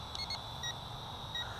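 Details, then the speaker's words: CheerWing CW4 toy camera quadcopter in flight: short, high warning beeps over a steady motor whine signal low battery. The lights blink and the drone then lands itself. "hear that hear that beeping that's telling you the the battery power is low"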